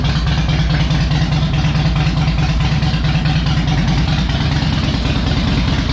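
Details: Harley Electra Glide owned almost five years, after new spark plugs, a cleaned air filter and fresh oil, not yet warmed up: deep, lumpy V-twin idle, steady and even, no misfire or clatter, running better; normal idle.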